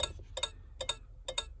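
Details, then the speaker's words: 1995 Chevrolet Impala SS with LED lights, turn-signal and hazard flashers swapped. The Wagner hazard flasher is cycling with the hazards on, clicking differently: crisp paired on-off clicks about twice a second, steady. "So I turn the hazards on, you'll hear it clicks different."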